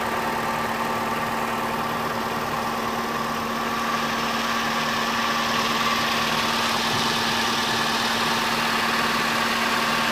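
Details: Opel Astra Ecotec engine after replacing a faulty crank position sensor (P0335, cranked but wouldn't start): steady, even idle with a constant mid hum, no stumbles or knocks; running smoothly.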